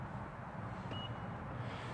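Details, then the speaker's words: 2017 Honda CR-V EX smart entry, locked by thumb on the door-handle ridges: a short single chirp about 3 kHz over low traffic hum, the normal lock confirmation beep. "If you put your thumb on that, you're going to lock it. You're going to hear it lock. Like that."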